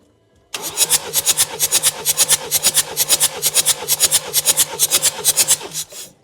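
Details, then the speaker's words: Ford Transit Custom diesel, compression retest after head gasket replacement, head skim and valve work, glow plugs out: fast, even cranking with strong, evenly spaced pulses; all cylinders read 24, compression good. "Spot on. 24. Yeah. Brilliant. Compression is good. We can safely move on with the rest of it."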